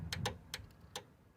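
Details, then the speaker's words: 1984 Toyota pickup with a homemade relay harness: several sharp dry irregular clicks, no motor behind them; the relay chatters while the high beams get no power. "see you can hear the relay clicking and then you can see that the high beams turn around"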